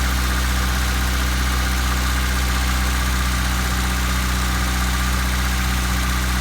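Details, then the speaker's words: 1997 Honda Civic after fuel filter replacement, engine cold: steady even idle with constant low hum, no misfire, held a touch fast; idle a little high because it is cold. Normal cold idle. "Right now I'm sitting on one head idle, but she's cold. That's why."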